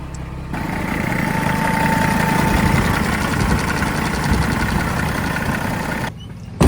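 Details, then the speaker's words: Detroit diesel in a Freightliner FLD truck: fires up and settles into low, even, quiet idle with steady rumble, no knocks or misses; normal healthy idle. "God, that sounds good. I love a good, quiet Detroit. That is awesome. Kicked right down."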